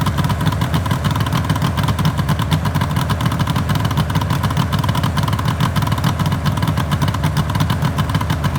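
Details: 1974 Suzuki GT750L two-stroke triple (Water Buffalo/Kettle), first start-up after rebuild from cartons, battery 12.6 V: loud busy idle with crackly, ringing exhaust beat, no knocks or misses; sounds healthy, normal running.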